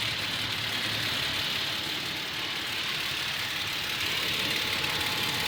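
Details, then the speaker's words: Toyota Tacoma, well maintained, warm at operating temperature, idling under 1000 rpm: quick driver-side ticking, three to four a second, with slight engine shakiness and no check engine light. Toyota says it's within spec; the owner thinks the engine is defective. "see it sounds louder after each his operating temperature but you got to let it idle in order to really hear [Music] it right here it's definitely the driver side the is tick tick tick"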